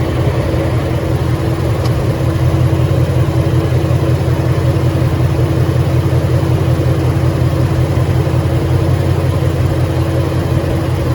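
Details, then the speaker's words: 2013 Ford Mustang GT 5.0 Coyote, manual, 81,500 miles, idling: dull low knock repeating about 160 times a minute, tied to engine speed; owner suspects rod knock, possibly crankshaft, new for 2–3 months, car also stalls after long drives. "So yeah, let me know what you guys think about that rot knock noise. It's something new that's just been going on for the past 2-3 months."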